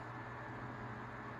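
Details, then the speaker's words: Tatung 12-inch LC-12 oscillating fan, likely 1980s, on high speed: soft steady motor whirr over a low hum, no rattles or ticking; otherwise quiet, running normally. "so it has that really distinct whirring sound kind of similar to the galaxy fans and aside from that noise the fan is really quiet"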